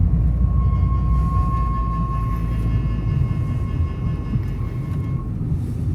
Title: Screeching Noise from Left Front Tire When Cutting Wheel Right